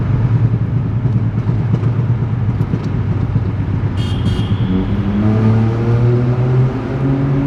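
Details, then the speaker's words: Stage 2 tuned VW Polo GT TSI 1.0L turbo petrol in a tunnel, window cracked: deep booming exhaust drone echoing off walls, pitch climbing as revs rise; healthy but loud aftermarket exhaust. "so once the tunnel comes we'll crack the open uh the window open just a little bit so that you can hear this wild exhaust for this one liter DSi have a listen"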